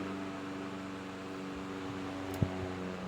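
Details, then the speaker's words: 1925 GE AOU AE1 desk fan, pot metal gearbox, oscillator on at medium: smooth even motor hum, steady low tone, absolutely no gearbox grinding or gear noise; runs healthy. "Now I'll go ahead and straighten it out, and we'll turn the oscillator on. You can hear absolutely no gearbox noise. It's wonderful."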